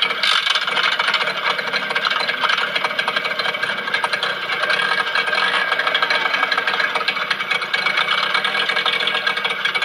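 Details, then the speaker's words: Yamaha 15 hp outboard after adjusting the gear shift linkage and reconnecting lower unit: smooth steady idle with no ticking or rough knock; rough-noise problem fixed. "Oke sekarang kita akan tes mesinnya lalu kita dengar sama-sama Apakah bunyi kasar Mantap"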